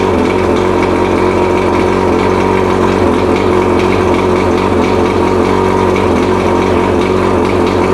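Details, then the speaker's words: Mercury 115 two-stroke outboard, first test run after 18-month rebuild fixing idle hammering from severely worn piston (two engines combined), on water and premix tank: steady even idle with smooth burble, no knock; sounds much better. "Fucking sounds amazing. Yeah. Sounds a whole lot better than it did. Yeah, I know. When you sitting here last time. Yeah, none of that knock stuff."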